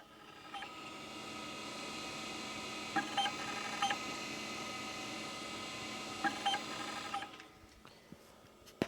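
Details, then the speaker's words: IBM PS/2 Model 30 (8086) at power-on, mic close to its hard drive: a steady spin-up hum with paired short beeps and two blinks, and no access activity. The drive spins up but won't boot. "so this is just blinking two blinks and then it makes kind of two beeping noises it did spin up but nothing's happening here"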